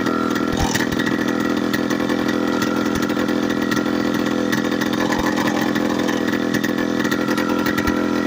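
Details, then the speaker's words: Late-1990s Polaris Explorer two-stroke ATV run without exhaust for two years: raspy, loud fast uneven idle that won't settle, so high it won't shift into high gear; owner attributes it to missing exhaust. "a lot of the time it idles high so high that it will not shift in the high it"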